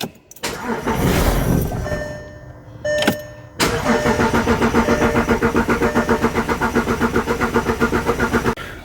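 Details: 2011 VW Touareg 3.0 TDI right after a fuel filter replacement, restart attempt after it stalled about 20 seconds after first start: steady starter cranking at about four compression pulses a second for five seconds, never catching; extended cranking, no start.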